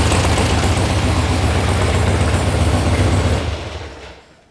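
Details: VW sand rail buggy air-cooled engine with electronic ignition, warm start after carb tuning: steady, even low exhaust pulse about four beats a second, then shut off; normal idle.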